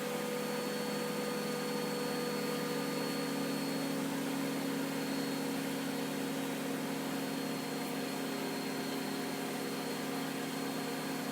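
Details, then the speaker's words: Miele W562 washing machine, extreme suds overdose test, final spin slowly climbing past 1,200 toward 1,300 rpm: a steady, even high-pitched whirr with no knocking, thumping or grinding. Normal high-speed spin. "Nice mix of colors in there. 1,200 very slowly climbs."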